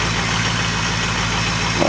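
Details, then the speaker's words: 2004 Ford 6.0 Power Stroke diesel just cold-started without block heater, slow 600-700 rpm cold idle before computer steps up to high idle: low steady even clatter, no misses; normal cold idle. "It's not good to let these these engines idle, you know, between 6 and 700 RPM when it's real cold like this for any length of time."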